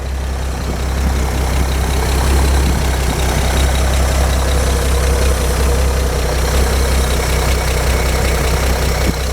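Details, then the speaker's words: Gasoline engine warm after about 11 minutes idling on fresh fuel with Marvel Mystery Oil added: steady even low rumble, no misses or knocks; running as it should. "sounds like it's running very well as it should that's warm"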